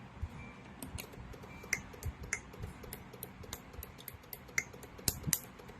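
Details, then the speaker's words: Honda City CNG with engine shaking at idle in gear, ignition coil leak test: sharp, irregular snapping clicks over a low hum as coil number 2 leaks high voltage fairly strongly; coil 1 fine. "ค่อนข้างแรงนะครับตัวที่2ตัวที่2รั่วนะครับ"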